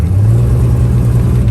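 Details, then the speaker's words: 1951 Studebaker, engine recently unstuck, no brakes, revved with clutch let out: deep steady engine drone at raised revs with little load change as car moves; clutch slipping badly. "That clutch is slipping bad."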